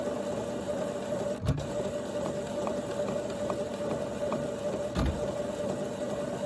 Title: HP Photosmart plus printer making strange noises￼